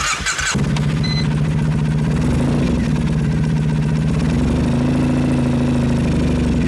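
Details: 2007 Triumph Thruxton 900 after stator and regulator replacement, old crusty-terminal battery, voltmeter connected: quick crank, catches at once, settles into a steady even idle with no misfires; idle voltage low from poor battery.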